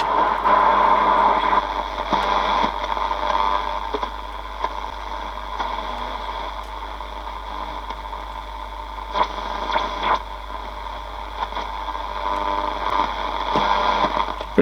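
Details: Sony CFS330 boombox radio with a tuning capacitor issue: hissing and crackling with no clear station, only scratchy bursts in the static; tuner not pulling in a signal, cause suspected, not confirmed.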